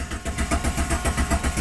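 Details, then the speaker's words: Jeep Grand Cherokee 4.0L six-cylinder with code P0320 cranking with no start: even starter cranking at about seven compression pulses a second, no firing. Scan tool reads 0 RPM while cranking, no crank reference signal; PCM already replaced, crank sensor suspected. "I'm spinning over and I got 0 RPM. This truck will never start with 0 RPM. It has to get a crank reference signal in order to start."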